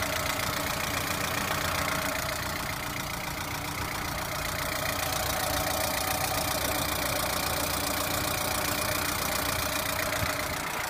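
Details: Lada Priora at idle: a dull repetitive knock, roughly three or four beats a second, fairly regular; engine knock, source unknown.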